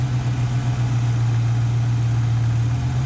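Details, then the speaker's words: Ford Ranger 2.3L with a 2.5L cylinder head fitted, idle at about 800 rpm: even low hum at steady idle with no misses or surging; normal idle. "So the Ranger's running actually pretty darn good, ain't it?"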